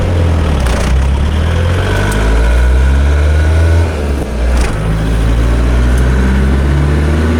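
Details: 1986 VW Golf with a swapped 1.9 TDI ALH (mechanical Bosch VE pump, Garrett T25 turbo). Deep, uneven thrum with occasional stumbles and dips at steady revs. Light/no-load misfire at certain revs, worse in winter; cause unclear.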